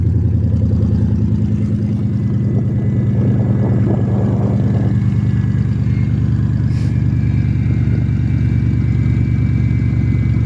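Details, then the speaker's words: Cold-start idle on a somewhat warmer day: faint thin whine riding over the engine rumble, from a bad idler pulley. "It's got a bad idler pulley. That's what that noise is."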